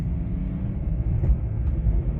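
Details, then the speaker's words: 2007 BMW E60 525i, about 165,000 miles, test drive through all gears after a humming then no-drive complaint: steady low road rumble, no whine, howl or clunk; healthy drivetrain. "going through all the gears it's slow it isn't fast but it's doing everything it should do it's just a shame it's not fast but anyway it's working"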